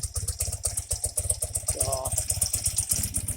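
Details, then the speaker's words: 1984 BMW R80RT airhead twin after cleaning fine rust from Bing carburetor float bowls and fixing float leak, idle raised slightly; soft, even putter about four pulses a second, no misses, balanced, no smoke: normal idle. "For right now, pop the idle up slightly, and sure sounds like it's balanced better. It ain't blowing no damn smoke out like it was the other day."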